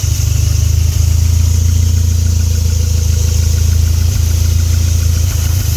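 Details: Deep, loud engine idle that lopes and wavers instead of holding an even beat, with occasional dips: a rough idle.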